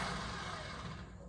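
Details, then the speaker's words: 1981 AMC Eagle sedan, cold, just after radiators were added, given throttle until warm: engine catches, runs ragged, then sags and dies; rough running, owners suspect a timing issue and plan to check plugs and wires, not confirmed. "that sounds like a timing issue that's why um huh let's check the plugs and the wires to make sure they're uh well I got to tell you the old Eagle here is just fighting it's hard"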